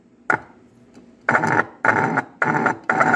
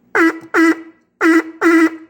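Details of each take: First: Fordson Major E27N tractor's vibrator horn whose tone/vibration adjustment screw moved when locked down: short, uneven buzzy honks with a rough, rasping edge, horn knocked out of adjustment. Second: Fordson Major E27N tractor's vibrator horn after readjusting the tone screw that moved when tightened: four short buzzy honks in two pairs, steady raspy tone with clean starts and stops, horn working properly.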